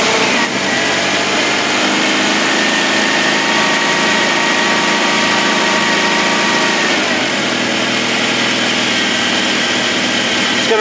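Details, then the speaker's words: 1978 Mitsubishi Colt Sapporo, revived after 30 years, running without fuel or air filters off a can via the electric fuel pump: fairly steady running, then the note falters as the carbs run dry of fuel. Fuel starvation. "run out of fuel gonna give it a quick tickle"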